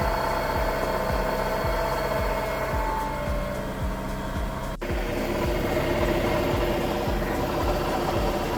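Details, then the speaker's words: 2019 Audi Q7 3.0T supercharged (4M) at idle: a faint rough, marble-like grind with soft pulses about twice a second, mistaken for a supercharger bearing. It was found to be a failed A/C compressor clutch pulley bearing, and a new pulley quieted it. "So the AC pulley went out on the Q7 3.0 supercharged, and to everyone that thinks that it makes a supercharger sound like I did, you'll very much think it's a supercharger sound."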